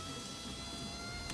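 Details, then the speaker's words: 2009 Audi A3 8P power window working after the window switch was fixed by cleaning the terminal platelets on its back. A steady electric motor whine for over a second, then a soft thunk as the glass stops. "that window's working that are fix through cleaning the terminals in the back"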